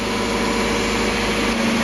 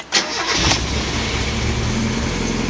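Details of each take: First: Mazda MX5 just after an oil flush and refill with Mobil1 0W40 fully synthetic, replacing 10W40 semi-synthetic, to cure ticking hydraulic lifters: steady, even idle with a smooth low hum and no ticking; owner unsure whether it already sounds smoother. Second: Mazda MX5 after an oil change to Mobil1 0W40 synthetic, starting after cranking with plugs out to prime the filter: starter spins briefly, then the engine catches into a slightly lumpy idle; rough from leftover fuel in the cylinders.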